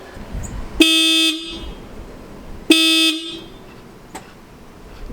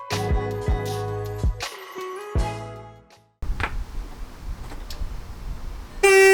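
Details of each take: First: 2013 VW Jetta TDI after installing Hella horns replacing failed OEM horns, one side connected: two loud half-second blasts, bright steady clean tone with quick cutoff; horn working normally, much louder than stock. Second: 2013 Jetta TDI stock horns before replacement with Hella horns: short honks with a thin single-note tone lacking the fuller twin-horn chord, because only one of the two original horns still works.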